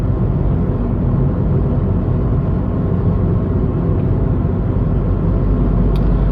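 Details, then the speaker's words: Tata Tigor BS6 three-cylinder petrol engine heard in the cabin cruising in fifth gear at 1500 rpm, AC off; low even road and engine rumble, no knocks or whine, normal. "this is what the noise level you will get in the fifth gear the ac is completely turned off the car is moving in thousand five hundred rpm"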